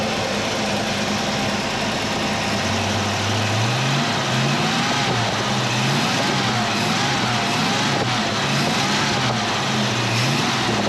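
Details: 351 Cleveland V8 in a 1979 Mercury Capri, idling after the stuck distributor was freed and timing reset (about 10° initial, 32 all in) for hot hard-starting: fairly even idle with light blips under heavy background hiss, runs smoothly, normal idle.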